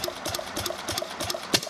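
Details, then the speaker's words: Fairbanks-Morse Model Z throttled-governor engine, just hooked to fuel, freewheeling with no load: sharp even exhaust beats about three a second, no knock; runs clean and in good shape. "there it goes but it basically runs and is in good shape"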